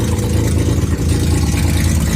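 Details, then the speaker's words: Mazda RX7 12A rotary on its first start. A very loud, raw, deep rumble with a rapid choppy pulse, like open headers, and nothing coming out the tailpipe. The loud exhaust is suspected to be escaping before the tailpipe. "Is the exhaust functioning at all? It sounds like open headers. It sounds extremely open."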